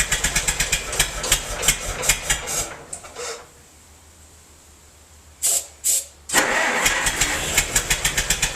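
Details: Massey-Harris 44 tractor stored 10 years in a semi trailer, with burned points replaced: uneven loping pops about three a second, stalling then catching again, as cylinders 2 and 3 misfire; owner suspects stuck valves, plugs or wires; a stuck intake valve was found.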